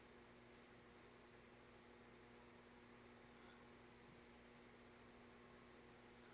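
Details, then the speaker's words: Vintage Nutone 52-inch friction-drive Verandah ceiling fan, spinner motor conversion, starting on a solid-state speed control: steady low electrical hum with a fixed tone near 230 Hz; the solid-state control makes the motor hum, so it is judged unsuitable. "It's a little noisy. Maybe it is living room quiet. So no solid state control for this one."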